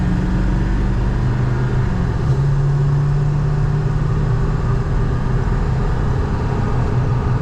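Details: Ford F250 7.3 Powerstroke diesel on a highway test drive after injector replacement, about 58 mph, 2800 psi injection control pressure, oil and transmission temperatures normal: steady low rumble under road noise, no knock or misfire, healthy.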